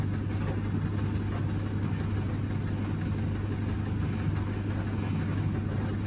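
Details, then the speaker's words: Samsung Optimal Dry 8kg heat pump tumble dryer DV80M50133W, bought broken and cleaned, with laundry in: steady low drum motor hum, even tumbling, no scraping or squeal; sounds normal. "It stops, then it rotates the other way, hopefully."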